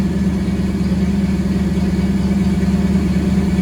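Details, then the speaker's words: 1974 Ford F100 V8 with Holley Sniper EFI, after fixing a crimped fuel return hose that built back pressure and stalled the engine: even, rhythmic low burble at steady idle, no stumbling or hunting. Normal idle. "But right now it sounds like and it sound like it run like a sewing machine right now. That's what it That is what it's supposed to do."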